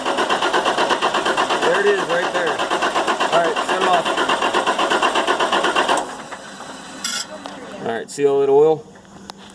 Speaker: the injectors leakin it's one of them Huck's pretty common problem so we're gonna take and take the oil rail loose across the top of here we're gonna replace those o-rings and put it back together see if she fires up